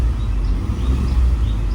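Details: 2012 Ford F150 3.5L EcoBoost, 296k miles, warmed up at operating temperature with AC on, being revved after testing for random misfires from the coil-on-plug coils; a deep, even rumble with no stumbles, running clean.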